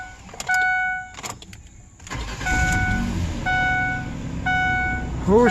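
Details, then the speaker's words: 2003 Ford Explorer 4.0 V6 first start after timing chain repair (cheap parts had failed): door chimes beep, engine catches and settles into a low, even idle with no stumbles or chain rattle; smooth, running fine, fuel trims near zero. "she's smooth oh I'm a happy camper"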